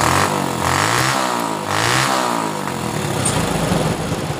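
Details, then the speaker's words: Honda Supra Fit motorcycle after repair of dying on throttle (fuel and spark plug refitted); small single revs up and drops back smoothly several times with no stumbling or cutting out; now takes throttle cleanly. "ini sudah bisa di gas"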